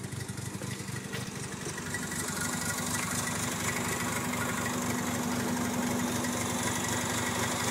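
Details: Mazda RX-7 FD3S Type R rotary with recently rebuilt engine, parked for months, idling with a lumpy, uneven beat of about four stumbles a second; misfire at idle, builder suspects a spark plug, unconfirmed.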